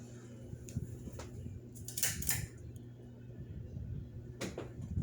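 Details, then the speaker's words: 1980s Encon ceiling fan running with a steady low motor hum and only a few light clinks, smoother and quieter than before despite earlier suspicion of failing bearings; normal running. "I mean, yeah, you could hear the motor humming, but it definitely was louder the last time I played with it."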